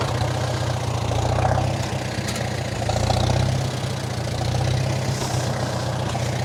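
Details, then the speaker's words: 1947 Farmall M tractor, first start of the year, running on nearly year-old regular pump gas (not non-oxygenated) left in all winter: uneven low idle surging and sagging about every two seconds with misfiring lumps; rough running from bad fuel. "it had been sitting all winter and it was regular pump gas it wasn't non-oxy so that's my own fault i left it in there all winter as you can heal as you can hear it's still running quite rough"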